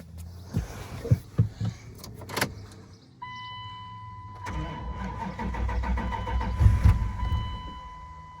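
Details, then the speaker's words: 1998 Dodge Durango, 219,000 miles, sat over 10 years: a few cranking bursts, then it fires on starting fluid and runs roughly a couple seconds; spark confirmed, fuel tank and pump suspected. "It fired. That means we got spark."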